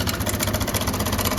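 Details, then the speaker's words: TVS Apache RTR 160 BS6 single-cylinder at idle: thumping with a loose metallic clatter on every beat from the timing chain; noise disappears on throttle and returns when released; chain replaced. "Engine की आवाज एक बार आप सुनिए काफी ज्यादा आवाज काफी ज्यादा शोर कर रहा है"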